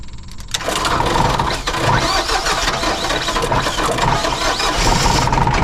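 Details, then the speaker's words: Generac diesel light plant generator bought at auction, first start: cranks and fires, then clatters unevenly, running rough; an earlier belt squeal went away. "Rough, but it works. That belt squeal magically went away as well."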